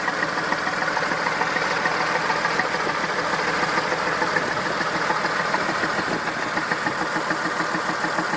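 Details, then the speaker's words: Massey Ferguson 2645 tractor, Perkins 6-cylinder diesel, owner claims rebuilt 100 hours ago: loping, uneven idle exhaust beat a little over two a second, one weak cylinder; suspected leaking, not properly closing exhaust valve and low compression, unconfirmed. "Second thing was there was a suspicious sound at the exhaust. It's like there. I'm suspecting a non-closing, not properly closing exhaust valve."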